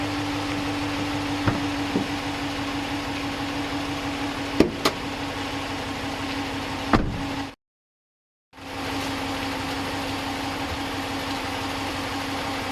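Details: Stock, unmodified 5.7L Hemi V8 in a 2015 Ram 1500, warm idle: steady idle with light quick fuel-injector tick, no Hemi tick or lifter tap; normal healthy engine.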